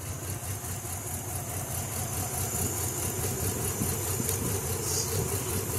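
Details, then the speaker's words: Nissan Z31 with bad old fuel: a rough, loping idle, and pulling plug leads on cylinders 1, 2 and 6 changes little while 4 changes it. Dead cylinders from a rich misfire; a stuck injector is suspected. "number two a shot all right so number two is not doing too much let's see about number six nope and number four made sure i got this one in there good that four is definitely doing something"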